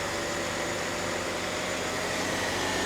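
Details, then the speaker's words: 2007 Mercedes E350 (W211) at Copart idling in 100-degree heat with AC on max cool: smooth, even hum with a faint fan whoosh and no knocks, ticks or misses; sounds fantastic; normal idle. "I hope so. She sounds fantastic though. She really does."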